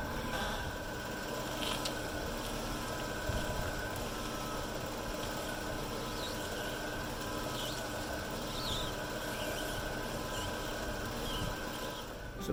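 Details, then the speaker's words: BMW 535xi, front suspension recently replaced: after greasing the control arm squeak point and correcting over-torqued bolts, steady road and tyre rumble with no squeak or creak; suspension now quiet. "So I got back under there, and as you guys could see, the squeakiness is gone and this car is ready to go for another 185,000 miles."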